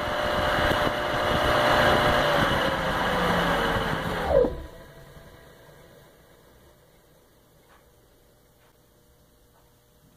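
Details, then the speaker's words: Baldor CL3509 1 HP 3450 RPM electric motor after repairing its dented fan shroud; smooth, even hum with no rubbing or scraping, then a quick clean spin-down after switch-off; running quiet and normal. "I'd say she works and that's quiet that's good"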